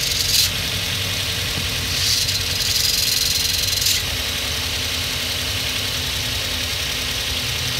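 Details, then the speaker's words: 2006 Hyundai Elantra moving in first gear after being forced into gear: uneven metallic rattle over a hissy background, with vibration in the clutch pedal. Cause: the clutch damper spring failed and separated from the clutch. "did you hear that noise and there's there's some vibration on the clutch pedal as well"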